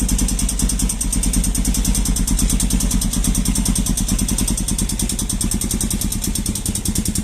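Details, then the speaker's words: Falcon motorcycle single-cylinder on a cold first-of-day start, steady clatter about three beats per second; mechanic says it is the decompression valve, normal, fading when warm. "quando você ligar a falta de manhã ou pela primeira vez no dia ou quando tá com o motor frio e quando você aciona ela ela faz um barulho estranho"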